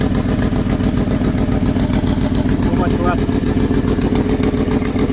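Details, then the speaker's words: Ford F-150 5.4 Triton 3V V8 at idle; fast, even ticking puff over the idle, sharp at the manifold side; exhaust manifold leak from broken studs. "can see the exhaust there. That's where the noise come from."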